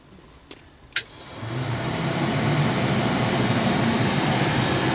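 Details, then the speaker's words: Mercedes 300TD diesel blower motor after repair with sewing-machine brushes sanded to size: two switch clicks, then the fan spins up within a second to a steady, even whoosh; blower running normally. "here's the uh here's the blower motor uh running now I'm going to turn turn off the ignition so you can hear it"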